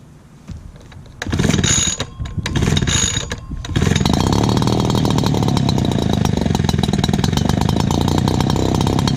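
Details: Dad's old backpack blower, about 39.7 cc two-stroke, choke only and no primer, first start of 2019. After a couple of pull-start bursts it fires and holds a loud, steady buzz with no stumbling. Loud but runs really good.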